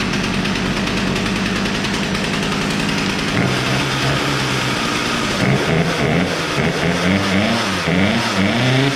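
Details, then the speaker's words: Poulan Pro P3416 34cc chainsaw after idle screw adjustment; spark plug gap was likely too closed: two-stroke buzzes steadily, then revs up and down cleanly with crisp throttle response; now running properly. "well honestly i think it was the gap it was a little too closed in"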